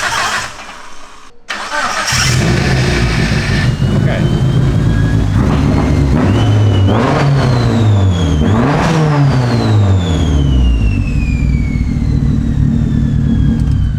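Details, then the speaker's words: Mitsubishi Evo wagon restarting after the MAP sensor (Omni 4-bar, suspected bad batch) was unplugged and replugged: cranks, catches and is blipped, with revs rising and falling in a slightly uneven, rumbly note. It now restarts but still hasn't cleaned up. "still sounds like a little rumbly like it hasn't cleaned up but now it's restarting"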